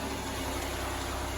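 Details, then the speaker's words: Van with repaired 400 engine, about 420,000 km, after repair; even steady idle, smooth low hum, no knocks, ticks or misses, cooling fan on; sounds healthy. "the fan comes on blows all the stuff burning off on it at least we know the fans come on she sounds good you know that"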